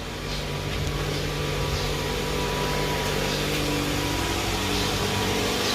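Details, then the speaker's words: 2011 Toyota Alphard Gen 2 Type G, after balance shaft and alternator pulley service, idling after push-button start: steady, even idle, smooth low hum, no knocks or roughness; far smoother than before repair. "Sudah terdengar halus, jauh lebih halus daripada yang sebelumnya."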